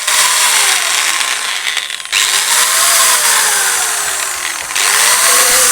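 Steady high-pitched motor whine with smooth speed swells, no knocking or grinding; the grinder spindle sounds like it runs normally.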